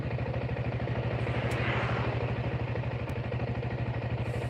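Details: Engine previously rebored with a new piston, which then made a noise (piston fitted upside down): steady, even low putter at idle, about three pulses a second, no knocks or rattles; normal idle.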